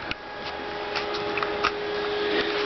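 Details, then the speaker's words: Dodge Daytona electric vehicle conversion, switched-on converter pack charging the 12-volt system to about 14.8 volts; steady high-pitched whirring from its cooling fan, constant and very loud, owner plans to remove the unit. "the downside though is it's really loud as you can hear it's obnoxious"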